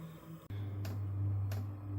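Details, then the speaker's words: Vevor diesel heater, two years old, starting at about 3°C: sharp clicks about every two-thirds of a second over steady fan hum; fuel dosing pump ticking normally. "You can hear that clicking. The fuel pump is now pumping fuel into the heater."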